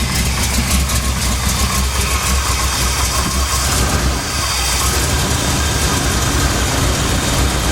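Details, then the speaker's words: 1982 K30, 454 V8, 4-speed manual, after pulley and belt work to cure a bad belt squeal: steady low V8 idle, slightly rough, with no squeal or chirp. "but here you go no more squeal maybe I can drive her around a little bit more now"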